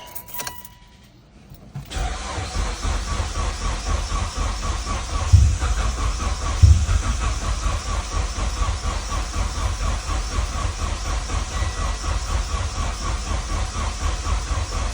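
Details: E85 car after a fuel pressure regulator replacement, both cam sensors just swapped: steady rhythmic cranking at about four beats a second for over ten seconds, never firing; crank-no-start, later traced to a line found disconnected.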